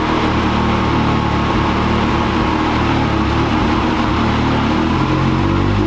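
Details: 2022 Can-Am X3 on dyno, 93 octane tune, about 19 psi boost, stock clutch: loud engine drone holding one pitch instead of climbing under load, free-rev feel at start of pull; CVT belt slipping at the beginning.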